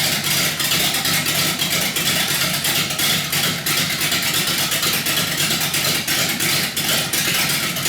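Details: 318 V8 built for a rough idle: raised compression with Keith Black 6cc domed pistons and a Comp Cams camshaft. Uneven, loping idle with a steady lumpy pulse about three per second from the big cam.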